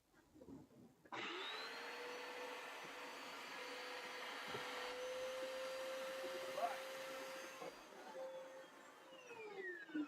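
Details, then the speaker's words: Vacuum/carpet cleaner tested with the brush roll installed: the motor spins up to a steady, even hum with a constant mid tone, then winds down smoothly; the brush roll drive turns normally, though the brush needs cleaning. "Okay. That brush needs cleaning. All right, so the brush is working. The brush is working."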